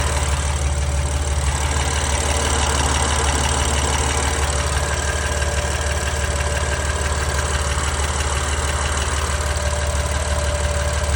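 Steady cold idle with a light, fairly even tick of about two per second riding over the engine hum; source not pinned down.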